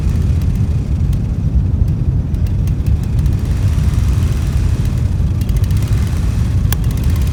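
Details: Old Dixon zero-turn mower, sat in the woods about a decade, running on its own fuel after a new tank fuel line. A rough, uneven low rumble has sharp crackling snaps from the unconnected plug lead arcing to the spark plug.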